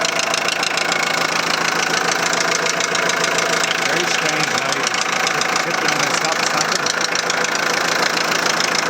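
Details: 2001 VW Transporter T4 1.9 TD diesel idling with sharp, regular tapping at roughly three and a half per second over the idle. The head was first suspected; teardown found big-end bearing surfaces almost gone on clean journals: rod knock.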